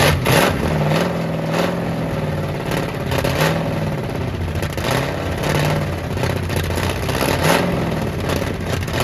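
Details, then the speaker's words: Abandoned 1967 Mustang 289 V8 running for the first time in a long while after carburetor work: rough revs with loose chuffing clatter from exhaust leaks. "well it's got exhaust leaks it don't matter but it's it's running"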